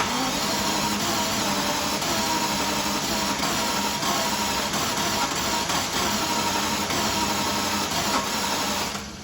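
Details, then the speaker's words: Jaguar XJS cranking steadily for nine seconds with no firing after repeated fuel pump priming, then cutting out; cranks but won't start, suspected fuel pressure issue. "All right, turn the key. That's what's going on. I think we've got a fuel pressure issue."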